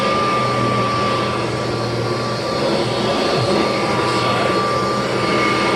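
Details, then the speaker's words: 1988 Kirby Heritage II Legend vacuum's formal test run after refurbishment with new bearings, brushroll spinning. Loud, even high rushing roar holding steady with no rattles, rubbing or bearing squeal; runs smoothly. "brushroll is spinning wonderful nice and fast both winding up and winding down and of course totally smooth because that's what new bearings gives you"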